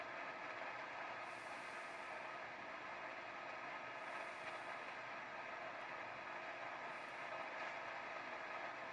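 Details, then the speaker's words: AWA transistor radio after refitting the speaker during restoration: steady loud hiss and crackle with no station received; receiver still very noisy and not tuning, cause not yet found. "Yeah, it's still super noisy and not picking any stations up."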